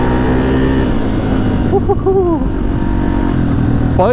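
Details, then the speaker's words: 2005 Yamaha TTR250 dirt bike on its first trail ride: strong, steady exhaust note rising and falling evenly with throttle, no misfires or knocking, running smoothly; normal running under load. "is really smooth isn't it it's running great"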